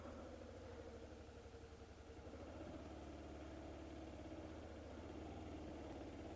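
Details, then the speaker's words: 2004 Hyosung GT250 Comet after carb cleaning, new fuel filter and new battery, choke off: soft even idle with a steady low thrum and no dips; normal idle. "oh man started up fine before there goes and the chokes already off"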